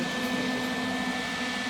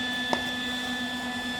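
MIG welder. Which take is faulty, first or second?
second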